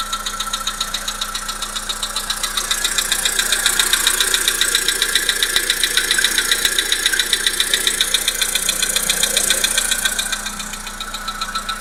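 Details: Volkswagen Polo Sedan 1.6 CFNA engine at steady idle with a sharp, regular metallic tapping, close to four a second; knock from inside the engine, cause unknown.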